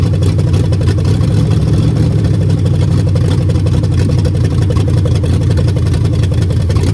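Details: Mopar 400 big-block V8 running: heavy deep rumble with dense hammering throughout, knock from worn-out bearings.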